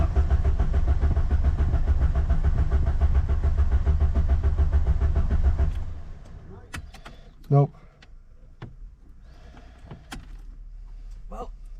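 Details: Ford Sierra RS Cosworth left in a garden for over 17 years, on old low fuel, accelerator pedal sinking to the floor: starter churns at a steady beat for about six seconds without one catch, then quits; cranks but won't fire.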